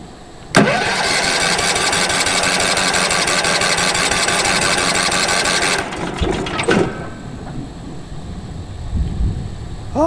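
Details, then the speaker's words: Late-1990s Wood-Mizer LT15 sawmill engine, sat for years, after oil change, new battery, air filter; cold start on choke: starter cranks steadily about five seconds without firing; owner suspects fuel not yet reached engine: cranks but no start. "come on well we know it turns over um probably just ain't got the fuel to it yet"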